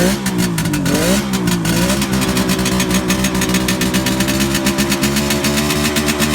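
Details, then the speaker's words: 1971 Kawasaki H1 500 two-stroke triple, rebuilt engine and carburetors, cold start on choke: uneven, lumpy blips with the center cylinder dead; no spark found on the center cylinder, ignition or spark plug cap suspected. "well anyway start running on the center cylinder so we're going to try to figure out why here in a second"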